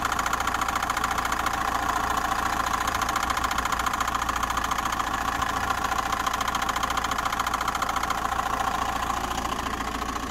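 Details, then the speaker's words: Diesel van engine idling with a regular light knock, about three or four per second; owner is pretty sure it comes from a crank pulley with a lot of play, and the belt tensioner was also bad. "this pulley has quite a lot of movement in it and i was doing a little bit of research and um well i'm pretty sure the noise is coming from this pulley now or it was before"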